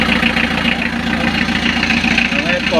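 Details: Diesel idling right after oil pump and timing belt replacement, before coolant is added and with the alternator not yet fitted, while being checked for leaks: a fairly even idle near 210 pulses a minute under voices and shop noise; nothing abnormal, timing correct.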